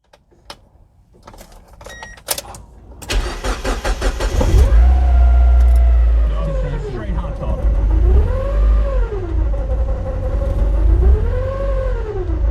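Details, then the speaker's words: Mazda Miata MX-5 with foot off the gas, idle hunting up and down every two to three seconds; bad stumble, bogs and feels like missing, owner first suspected a solenoid; rough idle blamed on a faulty mass airflow sensor. "my foot's off the gas this is just the rough weird idol"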